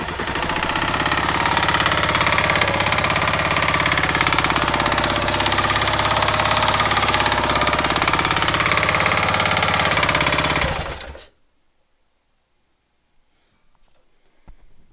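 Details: Kawasaki KLR650 engine running with a loud, hard-edged, fast steady clatter about three or four per second until shut off; horrible abnormal engine noise, cause unclear.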